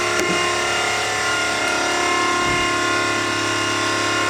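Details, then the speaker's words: V8-swapped Mazda RX7, engine off: steady, loud electric hum with a constant high whine, no stutter, as the fuel pump primes the fuel system. Normal priming; no leaks once the fuel pressure gauge fitting was tightened. "as you can see we got the fuel pump all primed up and check the whole field system no leaks really happy with it"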